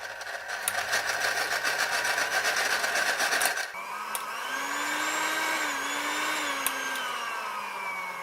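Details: Philips hand mixer, reassembled after maintenance: smooth, even motor whine without rattle or grinding, pitch shifting cleanly at a speed change; the mixer runs healthy.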